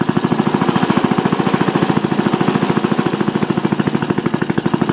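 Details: Old single-cylinder Briggs & Stratton on bench with new Champion J8C plug, cold: slow even thump about three and a half beats a second, no misses or knocks; normal running.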